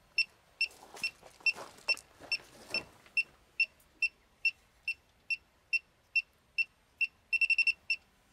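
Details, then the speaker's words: Elitetech WJL-6000 refrigerant leak detector at full sensitivity, probe held at a car A/C low-side charging port: sharp high beeps about two per second, then a rapid cluster as refrigerant is detected. "right away and that's pretty much exactly how this works there's uh you know obviously that's a that's an an obvious leak"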